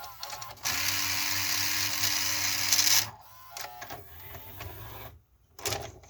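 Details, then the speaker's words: 1984 Toshiba Beta VCR V-S443C whose tape loading had been stopping intermittently, with dirty switches suspected. A harsh, droning loading motor whirs about two seconds, then clicks and clacks; the mechanism sounds atrocious and is judged to need lubrication. "definitely lubricate this this is just atrocious sounds like one of those Sony models"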